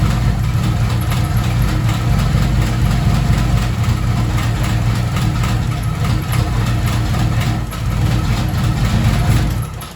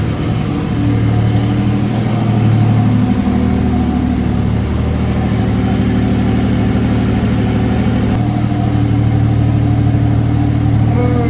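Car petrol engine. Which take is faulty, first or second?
first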